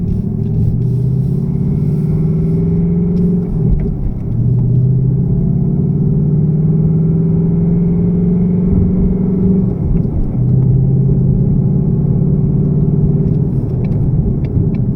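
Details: 2018 Mustang GT V8 on a cold start after an oil change to Motorcraft 5W-30 synthetic blend, which the owner believes quieted it: a loose, hollow rattle under the steady idle, suspected piston slap.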